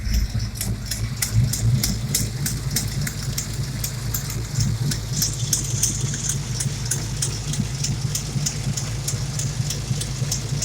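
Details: 351 Windsor SVO V8 after valve lash adjustment, at idle: lumpy rumble with sharp ticking puff about three times a second; header gasket leak on driver's side, passenger header dented at collector with loose studs.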